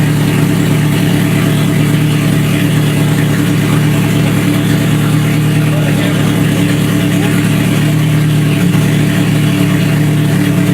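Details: Scion FR-S with a freshly rebuilt 3SGE four-cylinder swap, just after its first start: smooth, even idle at constant speed with no misses, knocks or ticks; the fresh engine runs fine.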